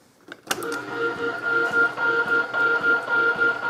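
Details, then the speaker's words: Holbrook B9 hacksaw after tightening a loose crank pin screw that caused a thumping bump: even saw strokes just under two per second, light mechanical whir, no thump at stroke reversal; running smoothly and much quieter. "that bump has completely gone so they go lovely there she is folks all back together in much quieter just a loose crank pin"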